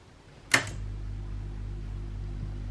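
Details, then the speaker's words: Silver-Reed 1200CR electric typewriter that won't type, switched on: a click then steady low motor hum with nothing typing; the assembly spins but is caked in sticky grime, drive to the mechanism not engaging, cause suspected. "that's the wearing sound we had so this whole assembly spins but it's caked in something i have no clue what it is and it looks rank not to mention it's super super sticky"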